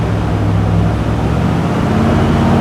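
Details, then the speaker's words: 1988 Centurion Bronco V8 after a camshaft replacement with new lifters, rockers and timing set, break-in run near 2000 rpm: a deep, even rumble with no ticking or tapping and no smoke; normal break-in. "sounds broer than uh before not seeing anything smoking yet no ticking either that's"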